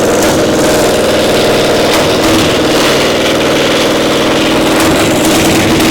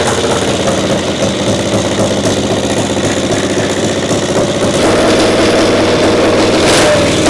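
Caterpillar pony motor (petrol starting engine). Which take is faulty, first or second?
first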